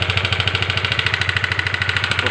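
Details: Honda CBR150 LED before its engine was torn down: loud, sharp metallic top-end clatter at about eleven beats a second over idle, getting louder as the throttle is opened; the noise points to a worn, possibly oil-starved top end.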